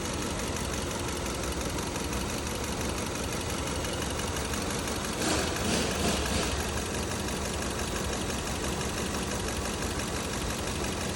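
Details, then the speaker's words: 2015 Kia Cerato at idle with scope on the injector signal: uneven stumbling beat roughly three a second under a hissy background; injector opens but doesn't close, its needle not seating, causing a misfire; injector to be replaced. "شباب هاي الاشاره تبع البخاخ وقفت عن الاشاره شوفوا هنا ما هذا البخاخ بيفتح ما بيسكر"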